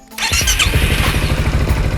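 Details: Yamaha XMAX bored up to 300cc, stock starter motor cranking: slow, heavy, labored pulses at a low, even beat; bore-up makes starting heavy, later improved with an aftermarket starter motor.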